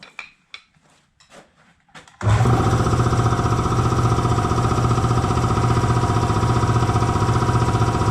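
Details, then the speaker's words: Air compressor after oil change and tightening a loose drive belt that had made it slow and tie up: clicks, then strong even low pulsing with no slap or squeal, running properly up to 175 psi. "Oil was due for a change anyway, but she's just hammering right along now."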